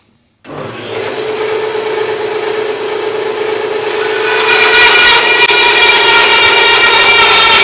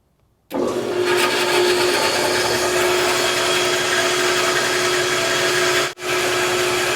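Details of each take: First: Harbor Freight bandsaw with upgraded Leeson 1 hp 1725 rpm motor, belt moved to the third pulley step, one-inch speed test cut: steady motor hum and bright rasping cut with an even tone; blade speed holds under load. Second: Harbor Freight bandsaw, first run after the burnt 3/4 hp motor was swapped for a Leeson 1 hp 1725 rpm motor: steady hum and blade whir, running smoothly but backwards because of how the motor shop wired it; fix is to swap two leads.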